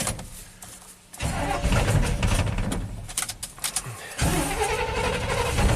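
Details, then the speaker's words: 1987 GMC Sierra V8 plow truck that idles okay but stalls when given gas, with backfires. Fuel pressure holds at 10 psi, so spark or spark timing is suspected. Uneven starter churning with lulls and surges as it barely restarts after a stall. "It's not happy. At idle it's okay, and then blah, blah, blah. So we can put a scope on the ignition coil or put under a little bit of load. Nope, stalled."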